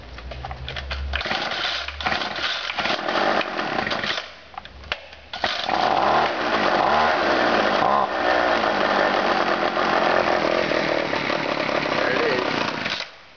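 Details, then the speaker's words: Discarded two-stroke weed eater running after only a carburetor cleaning: a buzzy engine settling into a steady, even high-speed run with no misses or surging, sounding healthy. "So it runs, so I'm gonna put that on Craigslist probably today or tomorrow sometime."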